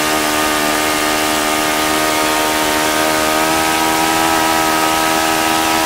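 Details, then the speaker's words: OS FS-95V model four-stroke, first run after rebuild, 15% fuel, 14x6 prop, electric start: steady high-pitched buzz at even speed, no misses, knocks or surging; easy to start, nice running. "but this is a nice running engine it was very easy to start can't complain really"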